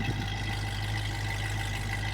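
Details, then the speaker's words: 1966 Ford Mustang 289ci V8 with true dual exhaust, heard from behind the car at idle: steady deep burble, even and smooth with no misses. "let me go ahead and start it and I'll stand out back so you can hear the idle true dual exhaust sounds really really good"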